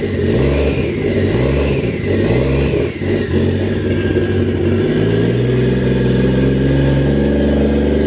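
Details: Used Toyota 1JZ VVT-i engine, sat for a long time with transmission fluid in the cylinders, first start after wiring: fires and revs unevenly, then runs steady and even with no knocking; normal engine run.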